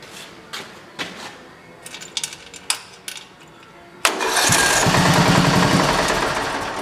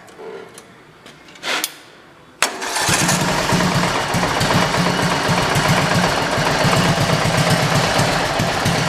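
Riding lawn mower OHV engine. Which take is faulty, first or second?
second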